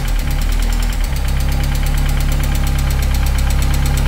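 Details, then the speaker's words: 1998 Mercedes SLK230 R170, M111 Kompressor: deep even idle with no surging while throttle body valve held open 5–10°; closed it hunts. Throttle adaptation stops prematurely, under 10 seconds instead of about a minute. "Uh, the car would run perfectly if I take off this throttle body and give it a bit of open the throttle just like 5° or 10°. And if I close it, it starts hunting."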